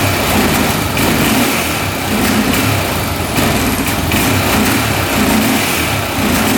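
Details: 2004 Honda 400EX single-cylinder quad after carb clean, valve adjustment and new spark plug (DPR8EA): revs rough, note sagging and surging between blips; still bogs, new plug didn't fix it, weak spark noted, cause unclear.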